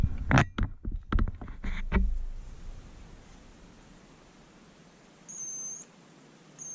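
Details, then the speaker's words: Bosch IXO 3 cordless screwdriver under repair, powered by shorting the switch terminals; short, high, thin squeal bursts with the motor not turning. The motor is stalled by a jam and spins once fed directly. "I don't know if you can hear that on there but I can hear a squealing noise I'll bring you a little bit"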